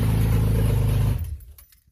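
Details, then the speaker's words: 2006 Subaru Impreza WRX with EZ30R flat-six on freshly wired Link ExtremeX ECU, just started for the first time: deep, steady, even exhaust beat for about a second, then clean shutoff; sounds healthy. "So there you go, dude. That's for a startup, actually. That hadn't started until just now. That is awesome."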